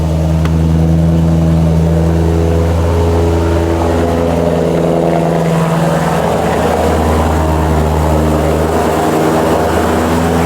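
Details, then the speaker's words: Mitsubishi Evo 8 rebuild, cold start on a November morning: loud deep exhaust drone at a raised cold idle, steady and even with no misses; healthy engine warming up. "go now that is a cold start for the boys I'm sorry my neighbors"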